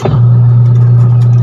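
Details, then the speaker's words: Washing machine that hummed but would not spin, after replacing the capacitor (timer was fine): a steady, even low hum with no wavering or knocking as the motor spins normally. "Yun oh umikot na t saka timer Okay na yun nakita niyo guys Di goods na yung washing natin ngayon"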